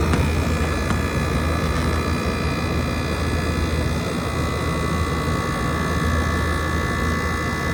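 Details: 2012 Frigidaire 18,500 BTU slide-out chassis window/wall air conditioner, R-410A, 220 V, almost 14 years old, first spring startup at about 88°F outdoors, still blowing cold. Steady even hum, low electrical drone, no knocks, rattles or squeals: normal running.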